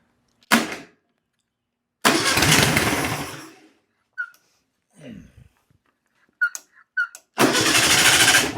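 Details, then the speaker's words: 1962 VW Beetle, sat over 20 years: several short bursts of cranking, never catching; no fuel from the carburetor jet, owner suspects the carburetor needs a rebuild and maybe a loose wire. "Yeah. I think the carburetor needs to be uh rebuilt. I don't see any fuel coming out of there."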